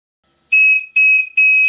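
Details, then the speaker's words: Second model steam whistle, the working one, on 40 psi compressed air: three sharp, clean blasts on a steady high note with no warble. It sounds properly and is very loud for its size. "a very clean sound and it's very loud indeed for its size"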